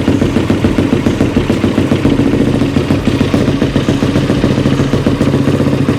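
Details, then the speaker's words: Yamaha YFZ450R single after reconnecting a fuel pump wire knocked off inside the tank: fires right up and holds a strong, steady beat with no misses or stumbles; healthy. "all right this girl is back in business"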